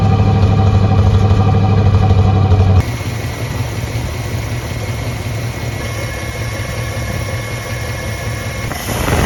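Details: 1966 Plymouth Fury III, Poly 318 V8, warm after new coil, plugs and distributor cap: it holds a steady, quiet, even idle on its own with no stumbles or misses; before, it needed high throttle to stay running. Normal idle.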